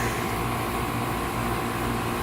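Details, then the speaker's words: Newly installed outdoor AC condenser replacing a unit drawing six to seven amps over nameplate, most likely from an internal bearing problem: smooth even hum and fan whoosh with no rattles, grinding or squeals; running quietly and healthy. "thing's burning like a kitten yeah it looks pretty good that really is a cute little unit"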